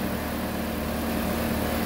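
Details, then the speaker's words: MK4 Golf/Jetta 1.8T AGU with a replacement drive-by-cable throttle body settles to an even, steady idle after the throttle adaptation. It was shaky at startup, then smoothed out once it learned its values. "and um yeah it's smooth and smoothed out so the initial uh alignment is done"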